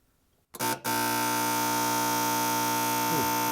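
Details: SunFire radiant shop heater filled with diesel or kerosene, prime button pressed: a couple of clicks, then a steady, loud, even electric buzz from the fuel pump; normal priming, quieting once fuel enters the line.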